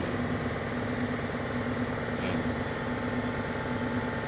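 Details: Mercedes CLA 250 with code P030485, cylinder 4 misfire detected: idle carries an uneven stumble about once a second, not quite regular, as one cylinder drops out.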